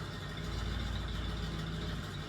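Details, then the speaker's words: Old Ford Bronco on cold start with a homemade 3-inch side-exit exhaust, before replacing plugs and wires untouched for about five years; deep uneven exhaust pulses that stumble and sputter. Engine misfire; plugs and wires suspected. "it's missing and sputtering and going to fix that."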